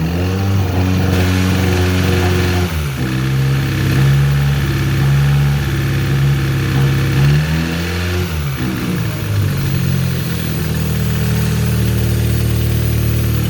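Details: Mazda 323F 1.5 four-cylinder after a head gasket failure, rebuilt with a used head with lapped valves, new gasket and bolts, jacked up: steady idle, smooth rev up and even return with no misses or knocks; running normally.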